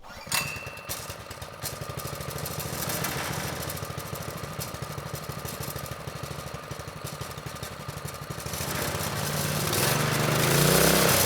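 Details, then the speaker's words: Manco Streaker vintage mini bike (likely 1970s) repowered with 6.5 hp Predator 212, drive disconnected, idle raised, choke on: small single runs steady at brisk idle, then revs smoothly, no misses or knocks; normal running. "I think we're looking pretty good. The engine, it's running well. It sounds good."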